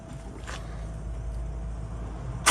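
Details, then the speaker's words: Malcolm's 1040 engine, fired by putting the connector on the coil because of a wiring issue: it settles into a steady, even idle with no knocks or rattles, then picks up cleanly on a blip. Normal, healthy idle. "Beautiful. Yeah, it sounds good, doesn't it? Does sound good, yeah."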